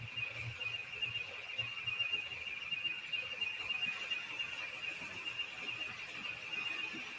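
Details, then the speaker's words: Model train layout: shrill high warning tone pulsing about once a second from a locomotive's sound decoder (referred to as 'IC4') that goes off whenever there is a short on the track. "That's that IC4 that whenever there's a short, it goes off."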